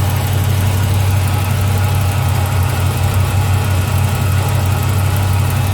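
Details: 2007 Chrysler 300 SRT8 6.1 Hemi V8 with cold-air intake, 180° thermostat, catch can, long-tube headers, cats and catback: deep, steady idle with a light, quick tick. Lifter or exhaust leak unknown; it also misfires at high rpm (P0300), and there was no metal in the oil.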